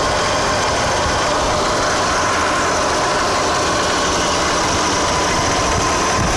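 Rotary idling with a steady hum and a faint, uneven rattle or tick layered over it; source of the noise unclear.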